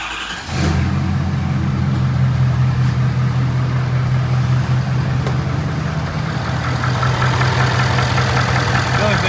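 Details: 6.7 Powerstroke diesel right after a CCV reroute install with the fuel system primed: a brief crank, then it catches and settles into a steady, even low diesel idle with no misses or knocks; normal idle.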